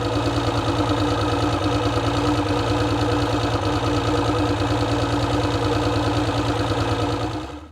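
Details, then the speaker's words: Mercury 225 outboard run after sitting a few months: a smooth, even idle with a steady low pulse and constant pitch until shutoff. It earlier seemed to hiccup occasionally but now sounds good. "Yeah, man, that sounds really, really good, man. I love an engine that sounds like that. Yeah. So anyway, guys, she's running good."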